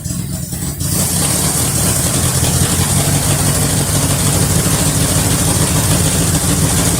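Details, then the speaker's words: 1973 Mercury Cougar XR7 with 351 Cleveland two-barrel, running on fuel poured into the carburetor, getting a little warm: deep, even V8 rumble with no knock or tick, sounding much better than before. "definitely it runs and sounds a whole lot better than what it used to"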